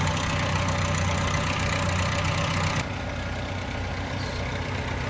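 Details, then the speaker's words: 1997 Chevy S10 at idle, noise worse when warm; quick fairly even rattle around four a second over the engine note, likely the timing chain slapping, with the timing chain later replaced. "see we can hear more more i hope you guys can hear that so it sounds like we have a timing chain from"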